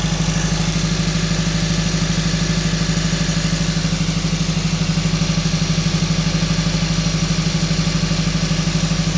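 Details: 2012 Honda Civic Si at high idle: steady lopsided thumps about three per second from a misfire. The scanner showed codes on all four cylinders, but a scope shows only the #4 injector not firing due to an ECM driver fault, so the ECM needs replacing.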